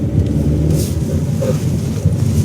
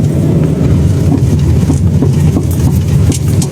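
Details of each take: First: 2016 Chery Arrizo 5, 125,000 km, after replacing worn suspension link ball joints that knocked over potholes and when rocking the steering: only low even road rumble on rough road, no clunks; suspension now quiet. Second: 2016 Chery Arrizo 5 at 125,000 km, driving over rough road and rocking the steering: loose hollow drum-like chassis knocks in uneven bursts; worn stabilizer bar end links, fixed by replacing the two links.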